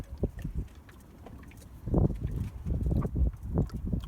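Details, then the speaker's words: Toyota Avensis D4D after coolant refill, lower radiator hose squeezed: irregular low bubbling gurgle; air trapped in the cooling system, still needs bleeding. "I got to get the air out of the system"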